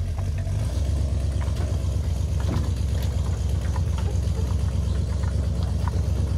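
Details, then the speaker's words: 1958 Chevy Apache truck, barn find after about 20 years sitting, heard from outside at the dual exhaust; low steady burble with even pulses at idle, no misses or ticks; sounds healthy. "first time I've heard the DU exhaust uh from outside sounds pretty decent actually"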